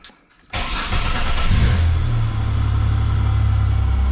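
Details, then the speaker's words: GM 3800 V6 (Buick/Pontiac/Chevy/Oldsmobile) after alternator replacement for a battery light: the starter engages, the engine fires at once, revs up, then settles to an even, deep idle; normal start, charging check at 14 volts. "so she starts up let's go see if she's charging 14 boats"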